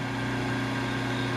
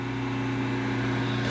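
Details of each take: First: Cut-away single-phase motor with a busted starter switch and capacitor housing removed: steady low hum, clean unchanging tone, no grinding or rattle; sounds pretty good. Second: Cut-away single-phase motor with a busted starter switch, housing ground open: steady low hum that never climbs to full-speed pitch, then cuts out; not getting high speed, centrifugal switch contacts barely touching and not releasing.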